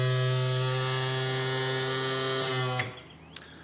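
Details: Yamaha F40 outboard power trim motor, previously slow and loud, after trim repair: steady, even electric hum without labouring or grinding, then clean cutoff; works much better than before, normal operation.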